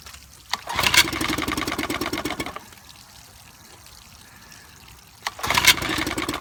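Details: 1955 Evinrude 7.5 hp fleet twin outboard under restoration (new coils, cleaned/replacement carburetor, single-line fuel conversion): two short bursts of quick two-stroke firing, each dying after about two seconds; catches but won't keep running to adjust the needle.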